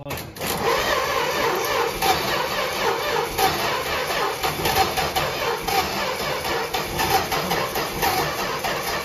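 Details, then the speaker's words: 1964 Dodge Dart wagon, 170 slant six, parked over 25 years, first start and apparently no muffler: loud, raspy, unmuffled idle with an even beat, no rattle, seemingly firing on all cylinders; sounds good. "It isn't even, it's not even rattling or anything. Did it sound cold? Yeah, it sounded good."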